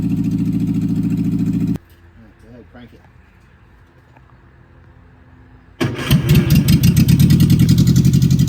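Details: 1964 MG Midget Mk II, sitting outdoors for 30 years, cranks and catches into a low, lumpy idle, then a steady throbbing run that picks up when revved; about 38 psi oil pressure, one carb stuck, carbs need rebuilding.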